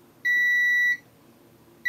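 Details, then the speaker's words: Console board, multimeter in continuity mode on a capacitor linked to the P13 USB IC near the M92T36 chip: two steady high beeps, showing the capacitor is shorted to ground. "so this cap here which also links to the p13 IC on the back of the board is shorted to ground"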